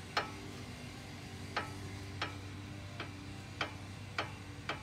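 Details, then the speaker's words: 2008 Honda Odyssey, suspension rocked: sharp metallic ticks at uneven pace from a worn sway bar end link; CV axle tight, ball joint thought unlikely; owner reports clunk when turning. "I got to check the uh the wayer in link here because that's my suspect my CV axle is tight and I don't think it's a bll joint but oh yeah there it is yep that's the sound so needs a new way were"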